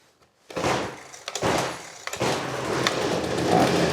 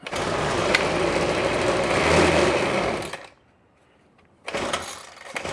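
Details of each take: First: Trash-picked Ryobi 25cc two-stroke string trimmer after fuel line repair catches on second pull, blips, then settles into a steady buzzing run; runs healthy. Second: Trash-picked Ryobi 25cc two-stroke string trimmer: revs raggedly, then dies away, restarts and surges. It runs very lean and won't keep running unless on throttle; carburetor suspected.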